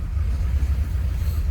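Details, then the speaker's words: 1939 Ford Deluxe 5-Window Coupe, flathead V8, started with the ignition switch and push button. It fires easily and settles into a deep, low, even rumble with no knocks or misses: a smooth, normal idle. "Let's go ahead and fire it up. You can see how smooth this thing runs."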